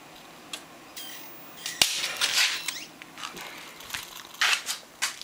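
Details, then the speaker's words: Small CRT TV being converted to an oscilloscope, at power-up: one sharp electrical snap among faint crackles, a wire shorting against the neighbouring resistor, not a transistor blowing. "lucky that pop was just a wire shorting out on that resistor there's a resistor next to it and that wire was shorting out and the wire popped"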